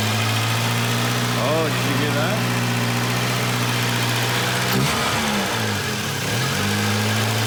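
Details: Junkyard-repaired Volvo 240 just started cold: steady cold idle with a raw puffing exhaust note, like an almost open downpipe. A bad exhaust leak.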